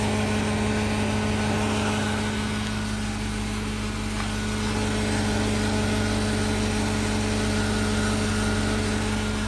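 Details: 2000 Chevy Tahoe: steady idle hum with a rough uneven rattle about three a second from under the vehicle near the fuel filter; suspected fuel filter, transfer case or fuel regulator, unconfirmed.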